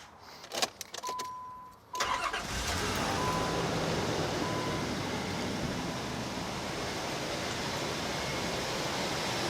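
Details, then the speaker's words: 2001 Nissan Pathfinder, which starts fine cold but struggles when warm, before the fuel rail damper is replaced: short chime, then the engine fires instantly and settles into a steady even idle; normal cold start. "all right so you notice how it started right up I mean it just fired right up"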